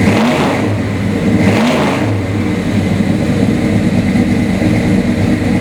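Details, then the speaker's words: 1969 Buick GS400 Stage 1 V8 with Ram Air and Flowmaster dual exhaust: deep, even burble with two clean, crisp throttle blips that rise and fall smoothly; healthy engine running strong. "Because although there's some great cars out there, this car here really is spectacular. I'll just go ahead and start it for you so you can hear what it sounds like."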